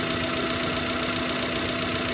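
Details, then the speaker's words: Suzuki Futura fuel-injected car idling rough and uneven with irregular stumbles under a steady drone; misfire persists after replacing spark plugs and swapping coils, cause not yet found. "motor kali ini papi ketepatan mobil futura injeksi ini pincang terus udah di ganti busi ganti koil sudah ditukar-tukar pokoknya belum ketemu ya teman-teman"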